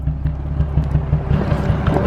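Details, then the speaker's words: Nissan 350Z pulled over at idle: lumpy, stumbling thump every few beats instead of a smooth hum, a random misfire, with a weird smell; cause not confirmed. "all right guys i just had to pull over sorry this this vlog is starting kind of sporadic but the z is not running very good right now"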